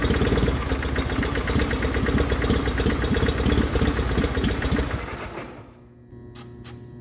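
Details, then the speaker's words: 1989 John Deere 420 garden tractor running from an auxiliary fuel tank. It runs unevenly about five seconds, then dies. Owner suspects suction pressure is lost through an open fuel pump port and plans to cap it. "ran out of gas okay so it sounds like i'm losing pressure suction pressure through the pump that exit that's open"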